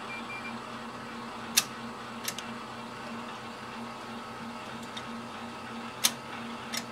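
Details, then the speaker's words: ColDesi DTG M2 dual-platen t-shirt printer during flushing maintenance, cleaning selected from ink charge menu: quiet steady motor hum with crisp clicks seconds apart as the print head runs a normal mini cleaning cycle. "The print head will do a couple things, kind of a mini cleaning."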